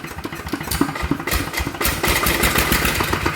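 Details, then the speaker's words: ET 110 single-cylinder diesel running with a sharp, regular metallic knock and white smoke; piston pin knock with scored cylinder liner. First suspicions were a broken con-rod bearing or a melted crank bearing. ">>มันเสียงเหมือนลูกสูบโจรหัว>>อ่ามันมันจะมี2อย่างนะที่สันธิษฐานเอาเบาก่อนบูทใบก้านพังนะครับกับข้อเหวี่ยงชาบละลาย>>มันดังผิดปกติเลยอ่ะ"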